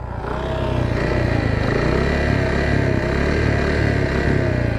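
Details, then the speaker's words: Shineray 49cc motorcycle, after hub bushings replaced, running: loud rough engine with rattling clatter over a wavering note, noise also when clutch engaged; clutch suspected, not confirmed. "moto tá maior estranha tá fazendo o maior barulho motor rapaz"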